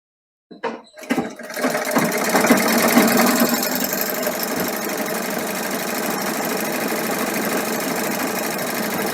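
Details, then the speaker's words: Sewing machine bobbin winder with broken spindle replaced by a glued-on magnet, driven by pressing the pedal; smooth whir with even light rattle about two beats a second, winding correctly in the proper direction — normal bobbin winding after no-cost repair. "ಇದು ಹೀಗೆ ಸುತ್ತೋದ್ರಿಂದ ದಾರ ಕರೆಕ್ಟಾಗಿ ಆ ಡೈರೆಕ್ಷನ್ಗೆ ಸುತ್ತೋ ಥರ ಮಾಡಿ. ಈಗ ಪೆಡ್ಲು ಒತ್ತಿ ready ಆಗುತ್ತೆ."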